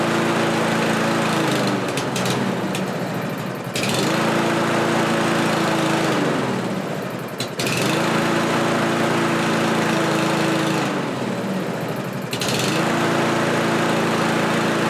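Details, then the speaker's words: Kohler lawn mower engine just after a carburetor replacement: speed swings up and down about every four seconds, a hunting idle. Owner suspects it is running lean and plans to adjust the carburetor's metering screw. "okay well as you can see it's hunting up and down there but there is a metering screw on the side of that carburetor that wasn't there before"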